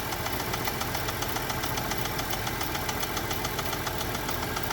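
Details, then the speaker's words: Chevrolet Traverse with a small engine knock, reportedly after being jumped, at idle with oil pressure up and thicker oil plus Lucas stabilizer added, while warming: a quick, even knock persists and is lighter as the idle drops. "oil pressure is built up currently knocking still let it warm up a few minutes and then uh let's see if it goes down at all"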